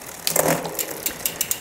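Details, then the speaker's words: Shimano XT 8000 rear derailleur while shifting onto the biggest rear cog: freewheel ticking with a short rough burp as the chain climbs, from the upper pulley rubbing. The B-screw needs adjusting. "so if we're getting that a little bit of rub let me go and demonstrate that again you might hear it too on the downshift down"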